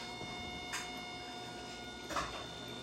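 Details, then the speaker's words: 2003 Mustang Cobra intercooler pump after replacement, jumped to test with coolant topped with distilled water: faint steady electric whir at constant pitch, no knocks or rattles; pump running fine. "all right let's jump this pump and see if it turns on yep try to get this in here cool so you can hear it just waiting for it to start"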